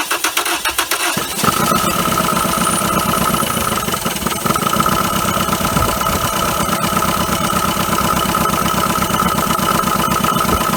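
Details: 1980 Dodge Colt Challenger, carbureted, sat 15–20 years, mechanical fuel pump from a gas can not filling the float bowl: cranks, fires and idles steadily with constant high whine, then stalls; fuel starvation suspected, unconfirmed.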